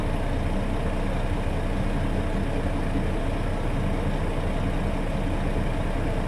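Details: International truck, air brake inspection at idle. After pressure is dropped, the governor cuts back in (expected within 30 psi of cut-out) and the compressor loads up to refill the tanks. Steady, even diesel idle with a low drone underneath; normal cut-in.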